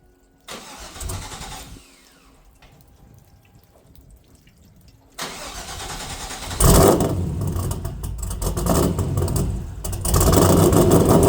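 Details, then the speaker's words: Trans Am WS6 LS1 with a big cam and Speed Engineering exhaust: a brief crank, it fires and settles into a loud, lumpy idle on all eight with a quick blip; a healthy start. "not only does this thing look good now it sounds incredible Speed Engineering exhaust sounds great doesn't seem too terribly loud love it"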